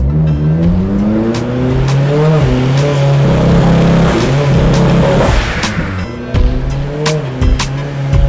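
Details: Turbocharged Honda S2000 pulling on the dyno rollers after removing an exhaust restrictor, air-fuel ratio looks right: ragged, uneven beat through the climb; ignition misfire from spark plugs under high cylinder pressure, fixed by checking gap and fitting higher heat range plugs.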